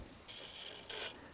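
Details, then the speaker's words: Sony SL-HF600 Betamax VCR, rusty video head drum motor turned by hand: two short dry rasping grinds; bearing likely failed, also suspected faulty Hall effect device; head not turning. "yeah you can also hear it it's also grinding as well so more than likely the the bearing is also failed"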